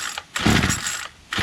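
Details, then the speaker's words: Bolens MTD BL-160 25cc two-stroke weed trimmer, carburetor cleaned, high mixture screw wide open; short raspy revving bursts fade to near silence, engine catches then dies; stalling, before resetting low screw to factory (suspected mixture, unconfirmed). "the top is wide open and it still dies so let's reset this low one all the way down to factory"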